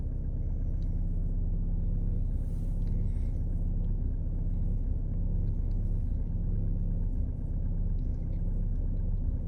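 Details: 2018 VW Passat B8 Alltrack 2.0 TDI 4motion diesel with a rough, heavy, uneven rumbling idle, only when cold outside and engine cold; cause unknown to owner.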